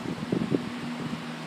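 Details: Household fan, made December 2010, after repair and cleaning, running its two-hour cycle: soft, even whirring hum with a couple of light bumps early on; spinning smoothly and healthy.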